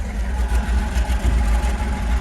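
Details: 1967 Chevy G10 flat-face van, 90-inch wheelbase project with an old V8: deep, steady low rumble with even firing pulses and no knocks or misses; idles smoothly and sounds fine.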